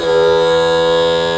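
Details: Mercury 60hp 4-stroke outboard power trim after topping up fluid that had run low over 2.5 years and cycling to bleed air. Raising the motor gives a smooth, constant-pitch hum with no stutter, so the trim now works normally.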